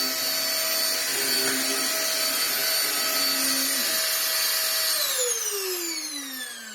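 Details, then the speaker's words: Vax Air Stretch bagless upright corded vacuum, running without its exhaust filter and choked with dust. Brush roll test: steady high whine with no grinding or rattle, pitch falling as it winds down. Brush roll works fine; only issues are the missing filter and the dust. "That works fine. So my only real issue is a lack of filter in there and the fact that this is completely choked with dust."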